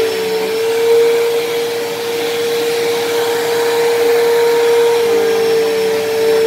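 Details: Dyson DC07 upright vacuum, long unused, running: loud, steady high-pitched whine at one pitch throughout, louder than normal; owner suspects dried-out bearings in motor or brush roll, motor bearings already somewhat worn and worsening, still passable.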